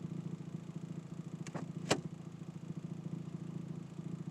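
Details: 2007 Toyota Tacoma PreRunner idling in gear: an uneven buzzing vibration that is louder when shifting and while braking. A new exhaust manifold gasket did not help; a transmission mount is suspected, not U-joint or hub.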